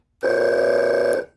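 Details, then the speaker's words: 12 V RV travel-trailer water pump, removed from the RV and powered from a bench supply. Releasing the held button lets the pressure switch start it: a clean steady buzz kicks in sharply, holds about a second and cuts off, so the pump switches and runs normally. "Now, the minute I release this button, it should turn on, which it just did. So, this pressure switch actually will turn on and off."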